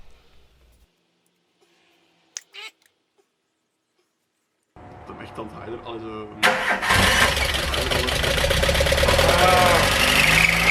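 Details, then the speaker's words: VW Golf Mk1 with swapped 2.0L 8v engine on Dellorto DHLA carbs, first start: engine runs as it should, but with a loud shrill squeal from a loose drive belt, to be tensioned. "it sounds like it is running like it should but the belt squeal is very loud and annoying we're quickly going to tension the belt and then give it another go"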